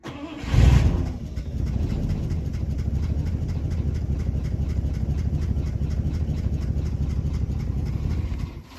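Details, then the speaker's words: 1959 DeSoto V8 pulled from a junkyard, long sat, burnt pitted points just replaced: catches into a lumpy idle with a steady light tapping; owner suspects a dropped valve after a loud snap in the valve cover, smoking. "Look, this is the one that made the loud snap in the valve cover. I think so. That's probably why it's running so well. It's dropped the valve."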